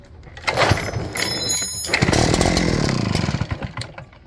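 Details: Echo PB8010T backpack blower after carburetor replacement (old one damaged by ethanol gas), primed and choked: fires on first pull, sputters briefly on choke, then revs to a steady two-stroke whine; starts normally.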